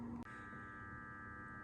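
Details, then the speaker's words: 2002 BMW 325i E46, M54 inline-six, new radiator, bleeding cooling system with ignition on and heater on full: brief click, then steady even hum as the electric coolant pump switches on and runs normally. "if you listen closely you could hear that pump that electric pump is turning on"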